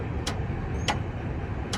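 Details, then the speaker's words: Railroad crossing gate mechanism (S60) raising the gates normally on a newly installed, still-charging battery bank: low, even motor drone with a few sharp clicks and less grinding than before, lifting the gates without trouble. "there's less of a grinding sound coming from this close S60. So, the battery bank I just installed still has to charge up, but even right now, it was able to pick up the gates no problem."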